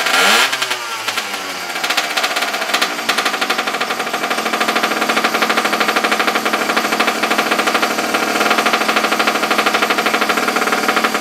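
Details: Abandoned small single-cylinder engine, choke on, after regapping the plug for weak spark: catches and settles into a quick, buzzy, slightly irregular putter, running steadily on its own.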